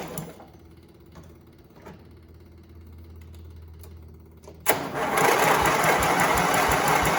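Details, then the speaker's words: Briggs V-twin engine on a John Deere tractor, cranking on jumper cables with spark confirmed on both plugs. Steady rapid cranking churn of about three beats a second that never catches. No-start caused by too little fuel in the tank and the key not turned. "So what it was is I did not have, and I don't have enough fuel in the tank. I didn't have the key turn for it."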